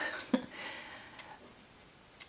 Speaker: if I just switch this on that's just letting this know that it's on you can hear the clicking sound that's the cursor clicking